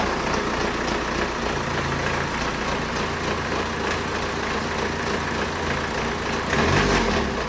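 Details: BMW 123d diesel donor car with warning lights on, needing a timing chain: a coarse, clattery idle with a loose metallic rattle, tractor-like. Worn timing chain rattle.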